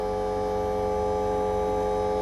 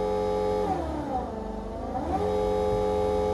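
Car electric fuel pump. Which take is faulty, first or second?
first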